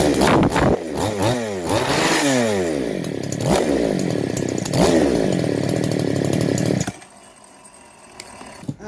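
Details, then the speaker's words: Model 5200 chainsaw after crankshaft replacement (old crank broken in half) plus new piston and cylinder; starts easily, revs up and drops back cleanly several times, then shuts off; smooth, healthy, responsive normal running. "หลังจากที่เราประกอบครับก็สตาร์ทง่ายนะครับครับสำหรับเครื่องตัวนี้นะครับ"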